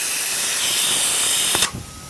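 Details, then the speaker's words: Tsunami Pure 10 regenerative dryer with simulated missing piston O-ring: loud steady rushing hiss that stops abruptly with a thump after about 1.6 seconds; system air bypasses the piston and discharges through the muffler. "this is the Piston that I've simulated uh losing an O-ring and it's allowing system pressure to bypass the O-ring use to seal off the inlet air and it should immediately discharging through the muffler"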